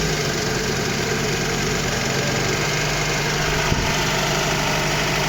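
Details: VAZ 2115, 1.5 injector engine, fully cold, valve clearances already adjusted: light uneven tick at idle resembling a camshaft or piston knock, owner suspected camshaft; actually from the ignition misfire.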